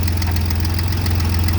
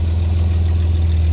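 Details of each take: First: 1988 Chevy S10 after fuel filter replacement and fuel system priming, no leaks: engine settles into an even idle, one quick rev blip midway, then smooth again with no misfire or stumble; normal idle. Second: 1988 Chevy S10 just after a fuel filter change: loud, deep idle with an uneven, lumpy beat and a slight stumble. It was running rough from one faulty fuel injector, found later.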